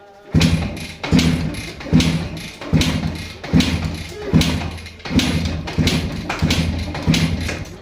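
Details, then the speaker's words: Suzuki Max 100 two-stroke motorcycle, fuel on and choke applied; repeated kick-starts give dull thuds about every 0.8 seconds with no firing; no-start though spark is present, traced to a clogged carburetor needing cleaning. "அடி அடிச்சிட்டேன் start ஆகல பார்த்துக்கோங்க"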